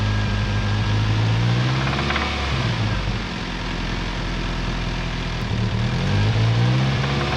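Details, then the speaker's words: 1997 Toyota Tacoma 2.4L 2RZ-FE after oil pump failure and new bearings, fine metal still in oil: steady idle with dull regular knock about three per second deep in the block; stethoscope rules out valvetrain, suspected rod knock, not main. "I'm having a hard time actually pinpointing it on the block, which could be indicative of a rod knock. It's definitely not a main in that case."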